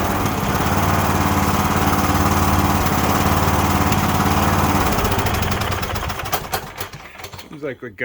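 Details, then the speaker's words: Cub Cadet LTX1045 riding mower with Kohler Courage 20HP, back after head gasket and valve work: runs rough with uneven popping and crackling, then falters and dies off choke. Most likely bad fuel; the gas looks orange and smells bad. "got a little bit of popping and cracking going on a lot of people no when that happens we'll think it's a valid issue or something like that it's most likely just a bad fuel issue here"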